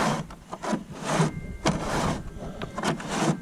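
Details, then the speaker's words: Jackson Bite FD pedal kayak, about a year old: loud gritty, dry scraping with each push of the rudder steering mechanism under the track; owner suspects grit in the track, and plastic rubbing the fiberglass rod is also seen. "It's way too loud. It's under this track right here, and it sounds like it's got grit in it."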